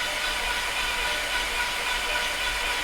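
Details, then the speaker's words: Salvage VW Passat 2.0T FSI after timing belt replacement, long unrun: fast, even cranking hiss with no firing and no binding; cranks but won't start, sounds like no compression, bent valves suspected. "really it sounds like no compression at all you see what I mean there's no binding but I think there's no compression"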